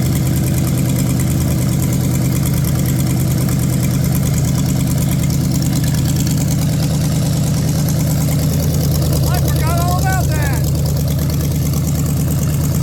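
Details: Ford 460 big-block from a neglected farm chore truck, first run on a gravity-fed lawn mower tank and the original mechanical fuel pump, no cooling system: a deep, even idle with no tapping or knocking. Not smoking, no funny noises. Healthy.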